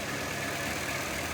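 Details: 1988 S15 truck, first start in years after sitting and a new battery: steady, even idle with no knocks, misses or hunting: normal idle.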